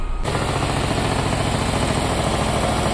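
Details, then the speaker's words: Nissan Versa 3-cylinder with 271,000 km, weak and using a lot of fuel: stumbling idle with irregular missing exhaust beats from a dead cylinder caused by a burnt exhaust valve. "Carro está falhando, fraco, muito fraco. Funcionamento horrível, consumindo muito combustível. Carro com 271.000 rodado."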